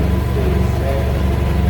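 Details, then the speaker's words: BMW F800GS idling just after its 4-year-old battery was replaced with a new Motobolt battery (about 200–210 CCA). A steady, even low thrum with no misses or knocks; clean, smooth idle. "Khởi động xe máy nào. Nghe tiếng động cơ xem. Nghe xem nó tốt hơn hẳn."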